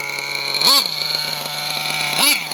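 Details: Electric RC truck: a steady drive whine with two brief upward chirps about 1.5 s apart. At first this was thought to be the slipper clutch, but the reverse gearbox was slipping out of gear, fixed with DX5c end-point adjustment.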